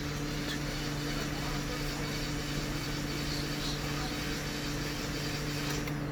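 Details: 2016 Hyundai Elantra cranking on the starter with spark plugs and coil packs removed for a compression test. The cranking pace is steady and even with no hesitation; compression is good and even across cylinders.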